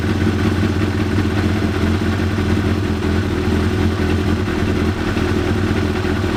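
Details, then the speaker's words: 1993 Yamaha YZF750R after new ignition coils fitted and plug caps seated properly to cure running on fewer than four cylinders: smooth, even four-cylinder drone, steady firing beat, no stumbles or gaps; all cylinders firing cleanly. "And yeah, I believe it's now running properly as it should, all four cylinders, and should now be ready for me just to put back together and enjoy the bike."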